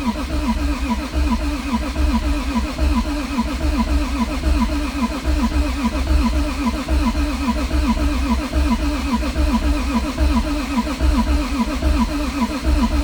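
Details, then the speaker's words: Toyota Supra built to about 1200 hp is cranked with the fuel pump fuse pulled, so no fuel, to build oil pressure. The starter spins it over with even, rhythmic churning and no firing; a normal crank. "So, I'm just going to crank the motor, make sure I get oil pressure, and I don't want to give it any fuel."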